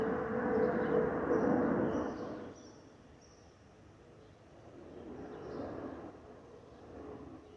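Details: Delta Airbus A319-114 in flight from JFK to DTW: a thin steady whistle over the airflow roar, swelling and fading with speed; the normal FOPP whistle of this airliner.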